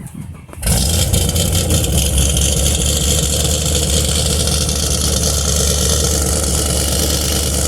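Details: Chevrolet Camaro ZL1 V8 on first start after engine rebuild and final dyno pull: quick crank, catches at once and settles into a deep, steady burbling idle with even firing; healthy.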